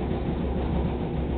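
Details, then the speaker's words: Very old Whirlpool gas dryer in a cold basement, run 70 minutes on high temp, starting and running normally, unlike the Kenmore Elite beside it that won't start: steady low hum and rumble with no knocks, squeals or scraping. "go to my old one just had it for 70 minutes it's on high temp turn it on start up and runs"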